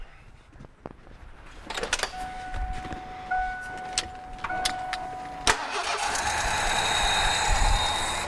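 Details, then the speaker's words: Ford F-150 V8 brought in running rough. Cylinder eight showed injector pulse on a noid light and had spark. Runs with an uneven, lumpy, stumbling beat: a misfire from a low-compression cylinder. "it's firing okay we've got fuel and fire now let's check for compression here"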